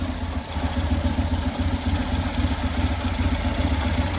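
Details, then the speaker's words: 2000 Buell Cyclone M2 V-twin idling just after first start with new lifters: a loping low thump at about four beats a second with a faint breathy hiss from the breathers and no mechanical clatter. Healthy idle. "Only noise I got is just from the breathers, which that's not unusual because this stuff is sealed off. But aside from that, it's running."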